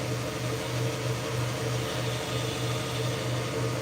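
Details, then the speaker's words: Plymouth engine that won't start after rebuild, cylinder pressurized at top dead center on leak-down test: steady low hiss of escaping air, no mechanical rhythm; air leaking past piston rings, seemingly more than normal. "so now I'm going to let that slowly build pressure [Music] and yeah you can hear air leaking out through"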